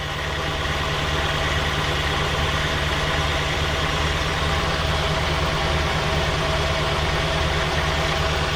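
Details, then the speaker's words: 1967 Ford Galaxie 500 four-door running after bad gas, with a new fuel tank fitted: steady, slightly uneven idle with a faint rapid puffing tick on the exhaust note, a small exhaust leak. "i know she's running right here that little exhaust leak she's got a little exhaust leak"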